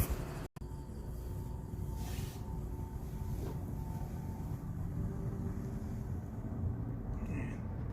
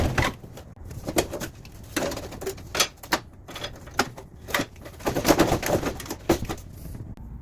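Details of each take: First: Amana PTAC unit that squeaked each time the blower wheel stopped, after reseating the plastic part so the blower motor shaft sits correctly: low, steady blower rumble with a faint hum fading evenly, no squeak as it stops. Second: if you have a Mana unit that squeaks every time the blower wheel stops like this one here it's probably the blower wheel bearing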